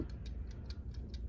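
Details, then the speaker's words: Camper build: a wind-up timer dial switch that powers the water pump ticks steadily and evenly at about four to five per second over a low hum. The timer is running normally. "you can hear it ticking. This is for the water pump."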